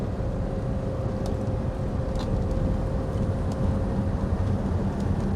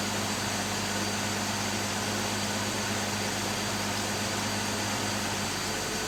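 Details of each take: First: Rover P4 on a test drive after new gaskets, valve clearance check and slightly advanced ignition timing: even engine and road drone pulling under load with no metallic rattle; no pinking. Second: Rover P4 after new gaskets and tappet adjustment, warming up: steady even hum with revs sitting noticeably above a normal idle; fast idle still set too high, turned down.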